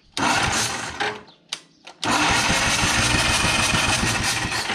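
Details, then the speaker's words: 1954 Caterpillar No.6 track loader found in a barn, pony motor cranking before ether is used: after short stabs, the starter turns the engine evenly at about three to four beats a second with a mild growl; normal cranking. "actually sounds really healthy. The starter, it's growling a little bit, but the motor, it sounds good."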